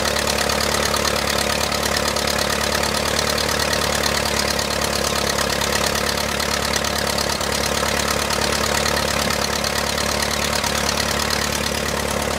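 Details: 1959 Case 300B (311B) tractor, 4-cylinder gas engine, parked outside 10 years after overheating from a stuck thermostat; after filing the coil points it idles steadily at about four firing pulses a second with no misses or knocks, running cleanly.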